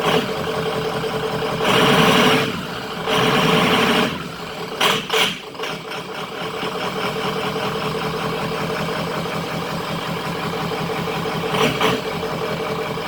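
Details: 2003 Ford F350 Super Duty 6.0 Power Stroke diesel after refitting the missing oil filter housing anti-drainback valve, which had caused 5–10 psi oil pressure (now near 70 psi): a few loud early bursts, then a smooth, even idle with no knocks or ticks; healthy.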